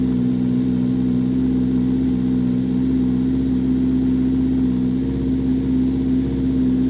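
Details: Vintage Honda 400 Four, 4-cylinder SOHC motorcycle, first start after fitting carbs and coils and setting points, fuel on reserve, on choke, no throttle cable: steady even hum at slightly fast choke idle, no knocks or misses; running cleanly.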